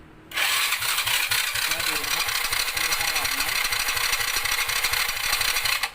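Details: Honda Dream 100 motorcycle, freshly rebuilt engine: slow, labored electric-start cranking, about eighty strokes a minute, no firing; test spark plug shows no spark on electric start though kick start gives spark and starts easily.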